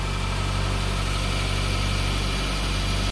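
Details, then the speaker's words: 2013 Nissan Altima 2.5 with keyless push-button no-start fault, started after diagnosis: even, steady idle with a smooth low rumble, no misses or hunting; normal idle. "el auto encendió estas son buenas señales"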